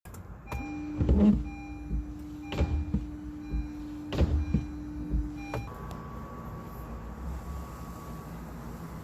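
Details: Customer complaint of wiper noise when on: droning wiper motor whine with a dull thump about every second and a half, then quieter cabin hum; noisy windshield wiper operation.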